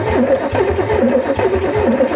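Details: 1989 Camaro IROC-Z donor car, cranks but won't start; steady starter cranking with rhythmic compression pulses, never fires, while testing ECM pulse to injectors; ECM trying to ground the circuit, ignition module suspected if no pulse, not confirmed.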